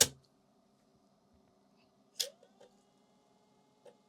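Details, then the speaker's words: Amiga external 3.5-inch floppy drive, tried after head cleaning: a clack, then quick head-seek ticks repeating twice; it never settles to read the disk. The owner suspects the drive mechanism is broken. "mechanically obviously it sounds exactly the same sounds like the same problem we seeking twice so yeah I can't read it so it looks like the mechanism in this one is actually broken"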